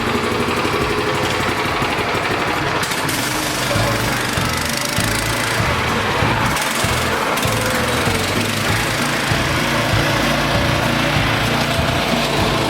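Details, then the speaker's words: Repowered PermaGreen Triumph fertilizer spreader, its hard-cold-starting Honda swapped for a new Briggs Vanguard 6.5 hp engine with the kill switch rewired to the handlebars, runs steady, even and notably quiet with no knocks or misses: normal running. "Let's fire it up. Man, that thing sure is quiet."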